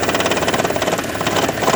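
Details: 2012 Toyota Prius, warm idle while hybrid battery charges: steady fast light knocking and rattle that holds even, tied to HV charging, absent at cold start, also at low speed; coils, plugs, injectors, PCV, EGR already done; cause unknown.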